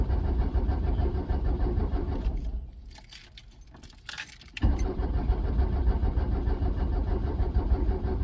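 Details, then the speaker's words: Vehicle cranked with a JF.EGWO 2000A 12V lithium jump starter on a flat, dead, bad battery. Low, labored cranking pulses about three a second with a pause; the engine never catches. Slow cranking, no start. "The jump starter's doing its job, but the batteries, I got a battery that's just so flat dead. Huh. It's almost wanting to start it even. But yeah, you got to have some juice in your battery."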